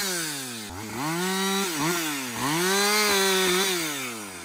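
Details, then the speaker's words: Husqvarna 562XP chainsaw after a shop software reflash for dying when hot and not starting: a strong two-stroke scream dips as the bar bites into wood and recovers cleanly between cuts. The saw pulls steadily, healthy under load. "so we ran out of fuel so we're gonna go ahead and put some more fuel in her we're gonna see if he can make a few more cuts"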